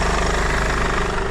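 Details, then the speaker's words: 2008 Mercedes E220d diesel after new alternator pulley and new auxiliary belt, tensioner now stable; even steady diesel clatter at idle with no squeal or flapping, drastic improvement in engine noise; normal idle. "and not only that you will notice a drastic uh Improvement on the engine noise as well"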